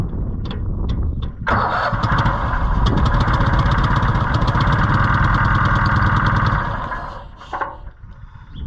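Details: Rusty auction-bought Cushman Truckster, with suspect wiring, jumper cables possibly arcing and hand throttle applied. Even cranking whir at about four beats a second with a hissy edge, never catching; sounds like escaping air, possibly lost compression.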